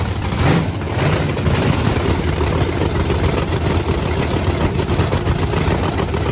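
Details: Blower Camaro V8 idle: deep, lumpy but steady rumble with no knocks or misses. The two bigger-jetted cylinders run about 60–70 degrees cooler, which is not worrisome. Normal idle.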